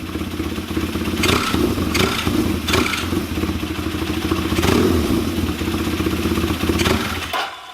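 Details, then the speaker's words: Kawasaki KZ400 on bench, Mikuni VM30 carbs, pod filters, new exhaust: each quick throttle blip stumbles instead of climbing cleanly, then dies; throttle lag/hesitation, falls on its face on snap throttle. "we're going to try to be solving for a very common problem which is throttle lag or a pretty heavy delay in the throttle when you gag it and it kind of falls on its face"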